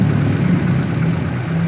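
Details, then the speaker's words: Kia Visto / Hyundai Atoz after water pump replacement and timing belt refit, timing marks aligned, run before fitting covers: steady, even low idle with no knocks, slaps or belt chirp; normal idle. "Nah, ini udah nyala. Kita pastikan ya, oke ya. Nah, sudah oke."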